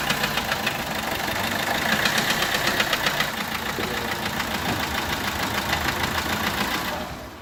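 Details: Peugeot 1.3 HDi diesel with bent valve in cylinder four not closing fully: uneven puffing chuff about four a second over rough idle, resembling injector compression loss; compression leaking past the valve.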